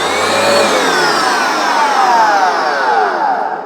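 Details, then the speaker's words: Vax Dual Power W86-DP-b carpet cleaner after a drive belt replacement: smooth, even motor whine winding down steadily, with no rubbing, slipping or ticking. The brushes now turn normally. "Right, well that's obviously a success. This is now working."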